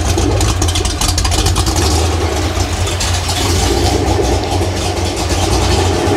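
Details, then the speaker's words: Freshly rebuilt Ford 302 small-block V8 (E7 hydraulic roller block, F-303 cam, GT-40P heads, T5 manual flywheel) at first start, slightly warm: deep even idle, no ticking or clatter, good oil pressure; owner suspects carburetor causes a slight surge. "so yeah it's running super nice and quiet no clatter or noise at all I just can't get this little surge out"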